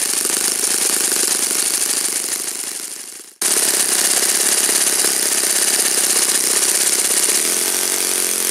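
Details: Saito FA-56 four-stroke glow engine, first run after teardown, cleaning and bearing replacement; apparently moderate-time engine on 12x6 prop, OS F plug, 5% Omega fuel. Crisp high steady buzz with a brief throttle dip, then smooth even run; normal full-throttle run.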